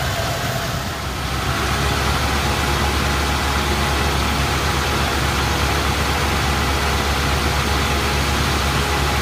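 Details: Engine at idle with lumpy uneven beat and occasional stumble; misfire of unclear cause, no codes, cylinder balance test passed; cap, rotor, plugs, wires, coil, temp sensor replaced and timing set.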